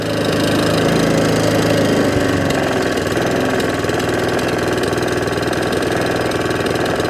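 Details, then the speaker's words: Allett Kensington mower, Kawasaki FJ100 engine, after carburettor cleaning to cure hunting and surging. Held at top-end revs, the buzz stays level with an even, steady beat and no surging or hunting; normal high-rev running. "So, low end revs, no hunting and surging. Top end revs, no hunting and surging."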